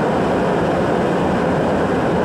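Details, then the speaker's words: Riello RDB oil burner on kerosene, 8 bar, after replacing contaminated nozzle with Danfoss 0.6 USG/h 60° hollow nozzle; was locking out on firing: steady even flame and fan roar, no pulsing or cut-outs; normal operation. "just changing at the nozzle got the burner working the other nails look perfect didn't look like there was anything wrong with it"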